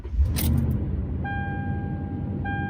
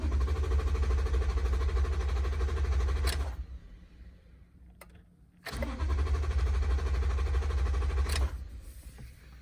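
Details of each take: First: Truck that cranked but would not start, now starting after a blown fuse was replaced: keys jingle, then V8 settles into a deep, even idle with a steady dashboard chime; normal start and idle. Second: Truck V8 cranks strongly and quickly, not lagging or dragging, in two bursts but never fires; cranks but won't start, with no fuel getting to the engine.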